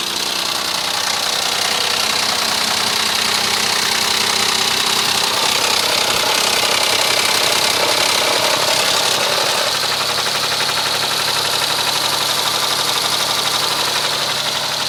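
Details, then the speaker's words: 2007 Mitsubishi Endeavor 3.8 V6, 195,000 miles, idling: a sharp, irregular metallic knock about four per second; owner unsure between rod knock and the never-replaced hydraulic timing belt tensioner. "my buddy because it sounds like it's got a rod knocking but I've seen several videos where it's the timing belt tensioner the hydraulic belt tensioner that's gone bad and it causes almost the identical same racket but mine seems to have more of a metallic ping to it"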